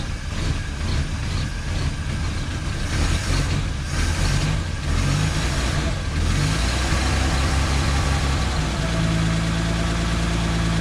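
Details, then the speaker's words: 1951 Studebaker, cold start after about a week sitting, new makeshift exhaust with Corolla muffler: old straight engine idles low and steady with faint puffing chuff; exhaust leak heard down low, both sides. "definitely one down here though there so it could be quieter than that it's definitely a leak open here yeah both sides"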